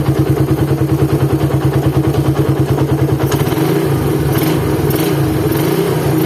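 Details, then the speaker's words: Suzuki Satria FU single-cylinder engine, cold start: coarse knocking beat about three times a second at idle, roughening with revs, said to worsen when hot; teardown confirmed a badly worn crankshaft bearing with play in all directions. "dengan keluaran mesin kasar ya kasarnya ini seperti di bearing kruk as sama rumah kopling"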